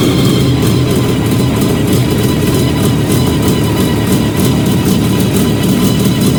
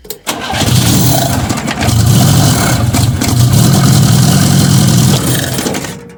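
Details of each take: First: Fiat 125 (Bialbero) on CNG with a new gas injector at the carburettor and the original air filter, idle adjusted after starting. Steady, smooth low idle, even firing, no stumbles, hunting or misfires. Normal idle. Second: Fiat 125 (Bialbero), first start test of a new CNG injector at the carburettor before final fitting; owner thinks it is short of gas, needs regulation. Engine catches and revs but beat is ragged with uneven pulses and stumbles. Misfire.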